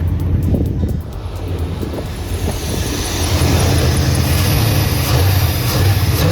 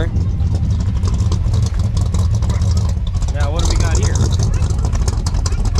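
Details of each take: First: 1989 Chevy Silverado C1500, 305 (5.0L) small block V8, rebuilt after head gasket failure with new cylinder 2 rings, starter just replaced; idles steady and even with no stumble, running better than before; normal idle. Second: 1989 Chevy Silverado C1500, 305 (5.0L) small block after head gasket rebuild and cylinder 2 ring replacement: heavy, uneven low idle that lumps, stumbles and shakes badly; exhaust moisture, no white smoke.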